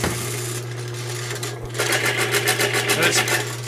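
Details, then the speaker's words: Lubricity test machine after rollers galled and bound at about 40-45 lb pressure, just sprayed with Lube 2000 lubricant: steady motor hum with rapid, uneven chatter about three to four times a second; already-galled rollers still chattering under load. "and it's already chattering because of all that sound from before."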